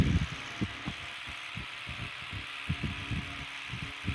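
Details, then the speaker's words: Antique electric fan run at reduced voltage (about 80–81 V): soft low-speed motor hum with light irregular thumps as the armature slides end to end, which is normal; blades don't hit the cage, with fan airflow across the smartphone microphone. "as you can see the fan doesn't hit the cage it's just normal motor sounds"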